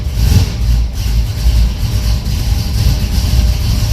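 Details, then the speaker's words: 1982 Pontiac Trans Am Crossfire Injection, parked 30 years, cammed engine, cold-blooded at first start: deep choppy loping idle with heavy low thumps, healthy cammed sound. "There we go. Man, I love the way this thing sounds. She ain't the prettiest, but she's rowdy."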